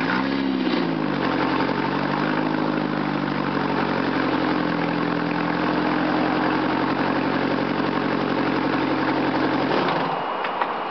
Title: 1995 Ford Escort Lx Exhaust Leak